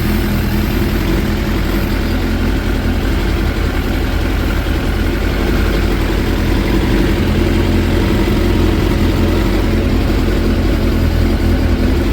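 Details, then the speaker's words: 2006 Suzuki GSX 600F Katana after carburetor fix (mixture screw half a turn out, iridium plugs, intake boot clamps tightened), starter spray on boots gives no rpm change: even steady idle with firm low beat, no hunting; normal idle, no air leak. "But all in all, now it's running nice and tight."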